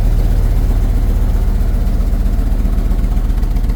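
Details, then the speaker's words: Mopar engine just started after throttle body cleaning and air filter replacement: deep, lumpy idle with a steady stumble about four times a second, a cylinder misfire; smooths out as it runs, misfire persists, typical after this service. "Oh, think I got a cylinder. are misfiring. It started up pretty good though for what it but yeah, usually this is kind of par for the course."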